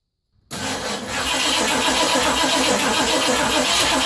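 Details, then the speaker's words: 1980 Ford F100 carbureted engine after sitting 29 years, primed with fresh gas and Marvel Mystery Oil poured into the carburetor bowl: cranks briefly, catches and settles into a steady even fast idle; it runs. "I really can't believe it runs. Now I need to see if it'll drive."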